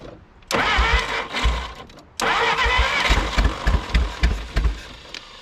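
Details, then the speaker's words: 1951 Willys CJ3A Jeep, off the road about 52 years (last tagged 1969), fed fuel poured by hand from a bottle: cranks, then fires in uneven bursts and pops, catching and dying, smoking; owner suspects it flooded. Sputtering start. "So close. Woo! We got her running. She's smoking. Might have flooded her out there."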